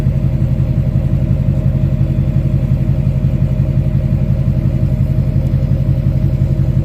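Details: 2006 Chevy Silverado LBZ Duramax diesel, warm, 5-inch straight pipe with flow-through muffler, DSP5 tune four: deep exhaust rumble pulsing evenly about twice a second, no hiss or misfire; normal idle.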